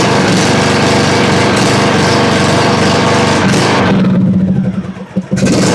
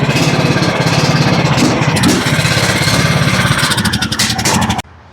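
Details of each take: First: John Deere LA105 riding mower with 74 hours and a Nikki carburetor runs only on choke. Off choke it holds a steady buzz, sags, cuts out, catches and dies. Lean running from dirty carburetor jets; fix is cleaning the Nikki or replacing it with a Walbro. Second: John Deere LA105 riding mower single-cylinder engine, 74 hours, previously would only run on choke: it now chugs at a steady, fast, even beat off choke until shutdown, with sound fuel delivery and normal running.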